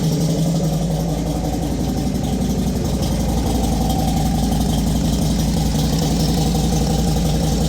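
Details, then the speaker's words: Motorcycle after rocker/valve cover base plate fix for an oil leak at the front head, listened to beyond the exhaust: steady, even low idle with regular beat, no ticks or knocks or extra noises; healthy. "That's the sound I love. When your motor ain't making no extra noises."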